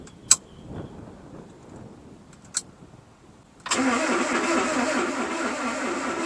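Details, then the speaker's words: Mazda B2200 with Kia FE3 engine swap, first start attempt after an earlier bad starter: quiet clicks, then a steady rapid starter churn about three turns a second that never catches; cranks but no start. "I heard it click that time, but I don't hear it running."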